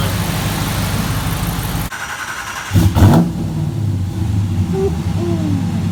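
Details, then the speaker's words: 2017 Ram 1500 Hemi V8 with new Moe's Performance HPT cam, after tightening leaking header collectors: lumpy idle and one quick rev dropping cleanly back, no puffing or ticking, cam now audible; normal cammed idle. "Way better. I can hear the cam now. I don't know if it'll show on the phone on the camera, but you can hear it better now."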